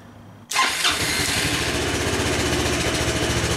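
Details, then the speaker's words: Honda Helix CN250 250cc scooter salvage rebuild, with dark bad gas being drained: engine catches into a quick, uneven beat with rough edge, dies when given throttle; fuel-related hesitation, improves after running on fresh gas. "that sounds better as soon as I give it throttle though it doesn't want to keep going"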